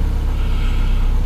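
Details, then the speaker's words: IKCO Samand injector engine idling after idle air control valve replacement, previously hunting idle, hard starting and stalling: starts near 1500 rpm then settles to a steady idle around 1000 rpm with no surging; normal. "да я сомневался что он вообще заработает но пока он вроде бы заработал"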